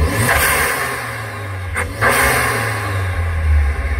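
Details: Compound-charged (supercharged plus Focus ST250 turbo) R53 Mini track car on an aftermarket ECU, still cold just after start-up. A deep engine note swells through quick blips with a whoosh of intake air and charger spool; otherwise healthy.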